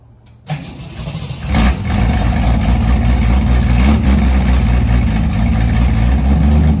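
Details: 1963 Ford Falcon Futura, 170 inline-six, Ford-O-Matic 2-speed, parked 25 years, after new carburetor, plugs, wires, radiator, water pump, alternator, ignition switch: starter spins briefly, catches and settles into a steady, smooth idle; normal idle.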